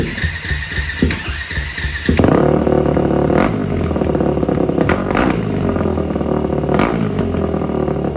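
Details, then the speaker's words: 2004 Yamaha WR450 single-cylinder dirt bike, carburetor cleaned and valves adjusted: loud open revs with deep raw note and quick throttle response after removing the overly restrictive exhaust insert; exhaust now flowing freely. "Let's see what it sounds like now. Should sound like a real dirt bike now."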